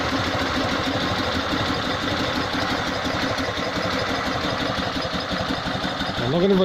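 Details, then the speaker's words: Invacar twin after the exhaust was replaced, fitted without joint clamps and run on axle stands with oil and muck burning off. It gives a steady, even idle with a soft exhaust beat and no blowing, a vast improvement; normal idle. "I'm gonna go get a quick try anyway to see if it matters have improved sounds good to me"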